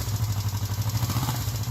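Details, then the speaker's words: First start of a viewer's freshly built project engine: steady, even low thumping idle with firm regular firing pulses, no knocking or clatter; normal idle. "Gotta love that sound. It's all right. Way to go, dude."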